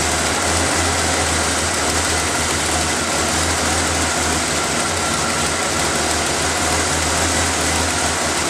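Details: After refitting the intake's vacuum lines, air filter and cover, the engine is started to listen for air leaks: even, steady idle with a constant low rumble and no hiss, miss or tick. It sounds healthy.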